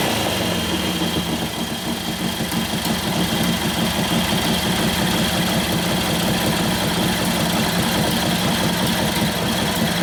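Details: 1941 Harley-Davidson WLD 45 flathead V-twin, 56ci stroker build, warm, in second gear against the held brake: loping but even beat pulls steadily, revs right through without popping or stumbling; healthy, sounds like it has a cam.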